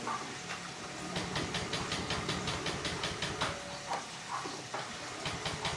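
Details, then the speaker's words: Honda Vario scooter: slow, uneven cranking puffs about 2.5 per second on electric starter that never catch; fuel pump hum present; battery suspected weak; won't start. "Pek pek pek pek pek pek pek pek pek pek pek pek gitu. Memang saya merasakan ee apa namanya itu akinya kurang kuat."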